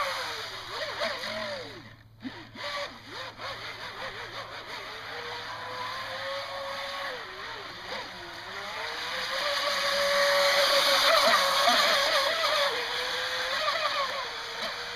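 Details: Jet boat running on water on a 3S battery, with motor bearings rusty from the last run because the boat takes on water; after oiling, it ran slower with a rough, gravelly whir, typical of worn motor bearings.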